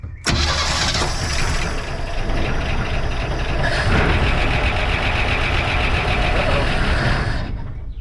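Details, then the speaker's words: 1971 Chevy C10 last worked on in 2002, after carb work for a suspected stuck float needle and seat: catches and runs unevenly about five seconds with a lumpy, stumbling beat, then dies; rough running. "well it does run we'd like to hear it longer than 5 Seconds sounds kind of rough CU we're waking her up"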